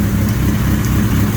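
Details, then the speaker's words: Suzuki GS1100E custom build, four-cylinder, after a cold start while running its fuel out: smooth, even low burble at steady idle, no ticking, knocking or rattle; regulator rectifier running cool, healthy and quiet. "no noise it sinks nice and wide nice and quiet engine regulator rectifier is running cool i don't think i can get this thing running any better guys"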